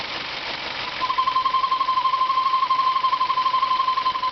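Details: 1997 Ford Mondeo after CD4E transmission overhaul: steady high squeak pulsing about four times a second, same in any gear, moving or stationary, fainter at higher rpm but same rate, continuing a second after engine stop; source unknown.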